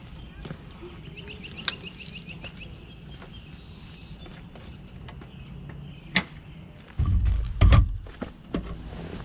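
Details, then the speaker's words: Fiido L3 e-bike rear brake after upgrade to Zoom DB-680 and Tektro E10.11: only tyre and frame rumble and stopping thunks, no squeal or pulsing, more stopping power than stock; quiet disc brake. "so as you can see that worked there's no pulsating no squeaks and it's got some stopping power more than the stock brakes"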